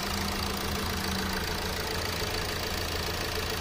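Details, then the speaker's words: Hyundai Accent diesel idling after injector replacement and coding: steady idle with light even tick about three times a second, normal injector clatter; earlier knock gone, car okay to drive home. "Yung parang may tumutok, normal. Okay na to, makakauwi na si sir."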